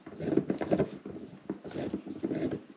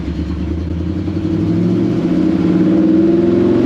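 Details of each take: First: T5 transmission from a 1954 Chevy pickup, removed after failing: rough, uneven grinding and clunking in bursts as the input shaft is turned by hand, with lots of play; front input shaft bearing suspected, possibly a chewed-up thrust spacer. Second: 1954 Chevy pickup after replacing the broken T5 transmission, in fifth gear at about 60 mph: steady road and engine drone with no whine, growl or clunk from the gearbox; transmission sounds healthy.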